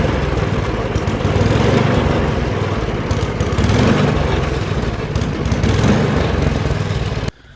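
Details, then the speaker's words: Older MTD 24-inch snowblower with 8 hp Tecumseh engine, dirty carburetor bowl, on fresh gas after priming with choke, run to clear out: fast single-cylinder run with slightly uneven surging beat before cutting off; runs fairly well, carburetor to be replaced. "right you guys so that's gonna do it for this video thanks for watching this thing runs pretty good"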